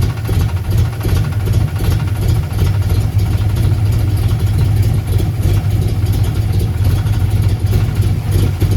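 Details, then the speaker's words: 1990 Ford Mustang LX notchback 5.0 with F-cam, 30lb injectors, no O2 sensors, idle adjusted, plugs not checked; steady, deep V8 idle without misses, much better than at first start, though finicky when cold. "this much sounds a lot better than it did once we first started this video and fired it up"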